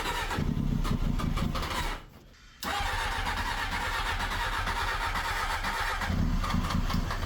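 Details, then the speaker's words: 1999 Honda Hornet 600, first start after ignition barrel replacement and zener diode/resistor fix for the no-spark fault, manual choke: engine fires, briefly drops out, then holds a steady, clean beat with no popping, backfire or knock. "no backfiring. No popping, no knocking in the engine."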